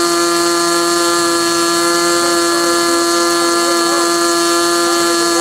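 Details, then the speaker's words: SIG Kadet LT-40 RC aircraft glow engine during break-in, restrained on ground, needle valve about one and a third turns open: steady, high-pitched even scream at constant revs with no sag or misfire; normal smooth running. "so what you're going to see next is the remainder of that video after it was running and running smoothly"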